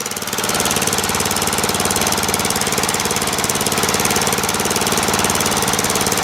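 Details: Murray lawn tractor, 12.5HP Briggs flathead single, after sticky-valve zero-compression fix, warming up after a restart: rapid, even putter at low idle, holding steady without faltering or dying; healthy idle.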